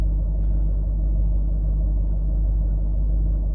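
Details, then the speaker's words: Range Rover L322 TDV8 diesel, formerly idling roughly, after fuel injector and fuel system cleaning with Cataclean, with injector balance offsets within spec: steady, even low diesel rumble with no misses. Normal, smooth idle. "It's idling perfect, so I think that has probably sorted our issue out."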